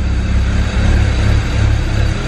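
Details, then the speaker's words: 2008 BMW 335i N54 twin-turbo inline-six: choppy, lumpy idle rising and sagging as the rpm needle moves. It is running rich and rough from a failed bank 2 sensor 1 upstream oxygen sensor. "yeah but it's very choppy you can see the RPM vo moving up and down that just goes to show how rough is running and also how rich it is"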